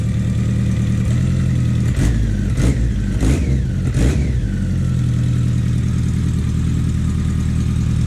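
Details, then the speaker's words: BMW K100 café racer build, just started for the first time after the wiring fix: steady idle, then four quick crisp throttle blips that rise and fall cleanly and settle back to an even idle. Healthy response. "Man, I don't know if the microphone will pick this up, but that sounds mean. Give it a little rev."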